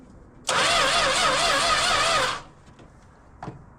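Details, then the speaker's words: Classic six-cylinder project car with power restored to the coil but spark very faint: starter whirs about two seconds and never fires; the distributor cap, probably original, was found burned and timing very low. "Even seven and a half to compression won't fire on that. So, last night discovered a few things on why our spark was so weak."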